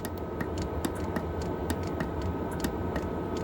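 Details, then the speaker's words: Diesel heater heard from inside a camping habitat on an M109A3 (M35A2) truck, set to lowest heat level one, outside at freezing 32°F, inside about 76°F: low steady fan drone with light even pump ticking; running fine. "I'm inside now you can hear the diesel heater running in the background"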